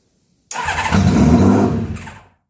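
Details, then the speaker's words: Rare 1982 Honda CBX 1000 six-cylinder, first start after carb work fixing four defective bowl overflow tubes (bench-tested leak-free); compression tested somewhat low. Engine catches at once, revs briefly with clean, even exhaust, no misfire or stumble: healthy normal start. "That's a good sign. Damn, man, that's exactly how it's supposed to happen. Right there."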